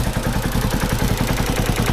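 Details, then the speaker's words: 1970 Honda CB450 after gas leaked into the engine oil: quick, even, light valve ticking over a steady idle beat, ordinary valve clatter, nothing alarming. "A little bit clicky, but that's probably good. Hear the clicky?"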